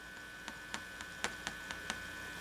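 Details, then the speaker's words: Philco 53-702 tube radio warming up for RF alignment, signal generator hooked to pin 7 of the 12BE6 with the tuning condenser fully open: low hum with irregular crackles. The output tube is noisy, and slow warm-up makes the owner suspect the converter or first IF tube. "I'm wondering if there's something wrong with one of the tubes, why it takes forever. The output tube is making noise,"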